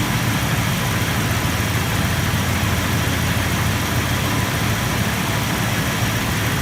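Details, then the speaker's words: Truck starting after a 24-hour charge with a 4 A battery charger/maintainer; the battery hadn't been holding a charge for more than a day. Cranks and starts strong into an even, steady idle with no misses, knocks or ticks. "okay that sounds like it started up really strong"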